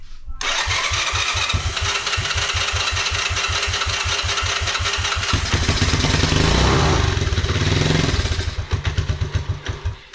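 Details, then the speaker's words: 1986 Honda Fourtrax 125 ATV test-fired on accelerant sprayed into the carburetor before carb cleaning, with screws found missing: steady single-cylinder thumping about three a second, revs swell then fade as it dies; it fires and runs cleanly. "oh it's gonna run look at that that's awesome to hear that we know it's gonna run now definitely know it's gonna run that sounded great"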